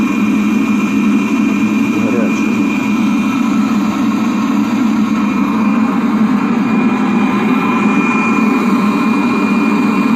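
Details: Webasto parking heater after repair, fitted to a 1999 Seat Alhambra 1.9 TDI: steady even roar of burner and blower with no surging, popping or misfire; heater running normally.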